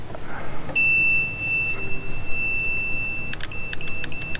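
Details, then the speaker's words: Mercury Force outboard power trim fault, continuity test on the trim relay with the lead moved to the other side: steady beep chops into short bursts as the relay clicks and breaks continuity; both relays good, but blue gets no ground in down position. "See, it's breaking the continuity. Okay. So, somehow what's happening is both relays are good."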